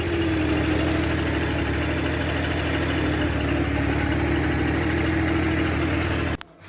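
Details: Yamaha Jog 50cc two-stroke scooter after fuel pump cleaning and idle screw adjustment dropping rpm: ticks over evenly with steady buzzing note, no stumbling or surging, then cut off; healthy normal idle.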